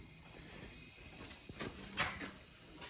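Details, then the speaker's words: 2010 Subaru Forester engine out of the car, stopped, during leak-down test on the rear cylinder (54% leakage): faint steady hiss of air escaping at the oil fill tube into the crankcase, air also felt at exhaust; suspected exhaust valve, head gasket or rings, unconfirmed. "we also can feel some air coming out the exhaust which would leave me to think that either the exhaust valve is leaking the head gasket is compromised and the air is leaking from the combustion chamber into the crank case or the Rings are leaking"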